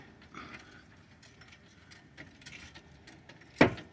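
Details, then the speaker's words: Mazda 5 with a new front subframe: faint creaks, then a sharp loud pop as the driver-side front wheel is jacked, from slack in out-of-spec subframe mount bushings; added washers help but don't fix it. "Basically, there's a lot of movement in that bushing area."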